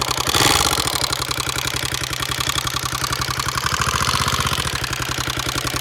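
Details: Honda XR650R single at a lumpy idle with a sharp tapping about three to four times a second over the thump; source unidentified.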